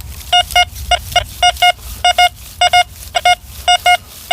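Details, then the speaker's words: Metal detector in a UK field: sharp mid-pitched beeps in quick, repeatable pairs over quiet field noise, a strong "screamer" target signal. "right we got a Target just down here and it's a screamer"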